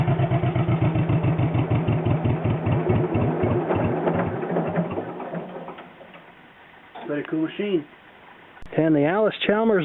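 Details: John Deere 420 Crawler two-cylinder tractor, slow, even pops at about four per second for several seconds, then dies away at shutdown; it had been charging and its muffler is possibly rotted; ran evenly and healthy.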